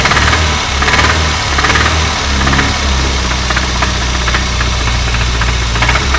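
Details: Renault 25 engine running: sharp metallic raps roughly once a second, fairly irregular, over the engine. A distinct knock whose cause the owner is asking about.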